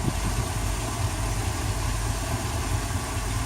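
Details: Boat inboard with new spark plugs settles into a steady low idle with an even exhaust burble and no misses, right after an improved start under two seconds; it earlier had hard starts and a 4,000 rpm limit. Runs healthy.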